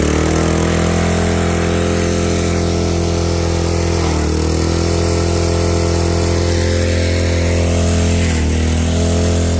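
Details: Craftsman 3300 psi pressure washer, small gas engine, after a water pump oil change: started with choke open, hose and gun connected, water on. Even steady drone with a constant low hum, no knocks or surging; runs smoothly.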